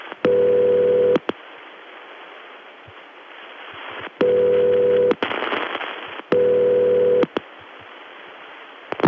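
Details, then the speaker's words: Early-1980s Bell System call: buzzy ringback near 500 Hz in roughly one-second bursts with relay clicks between. Double Murray ring ringback. "What's even more exotic than Murray Ring? Double Murray Ring."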